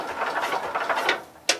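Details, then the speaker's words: Cub Cadet 122 garden tractor small engine cranking with the key switch after swapping leads; four or five quick even cranking strokes then a sharp click, starter turning over fine. "Let's see if it'll turn over with the key switch now."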